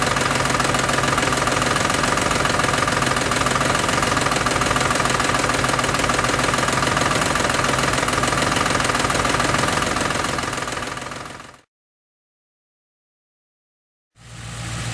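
V8 idling with a steady, regular ticking rattle from the top end: worn cam phasers knocking. Cause suspected, not confirmed.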